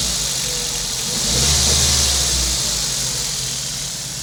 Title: 02 Focus Rough Idle